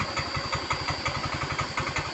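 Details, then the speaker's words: Yamaha Mio M3 scooter that would not kick-start (jammed), after teardown and repair with valve collets refitted, rear wheel raised on a block: steady, even idle with no misses or knocks; engine starts immediately, idles slowly and stays stable. "Motor langsung hidup normal, slow, langsam, bagus. Langsung stabil."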